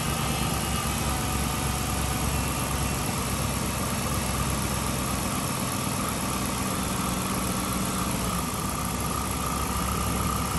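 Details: 2007 Chrysler 300C Hemi V8 that was overheating, after coolant refill, idling with heat on to bleed air: smooth, even steady low hum, no ticks, misses or squeals; normal idle.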